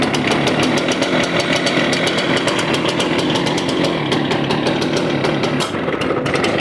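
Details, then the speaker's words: Stihl BR350 two-stroke blower backfiring out the carb despite new carburetor, filters, spark plug and primer bulb; ragged uneven popping, stumbling and spitting; rough running with backfiring. "well that doesn't sound good I can't believe we just caught that live on"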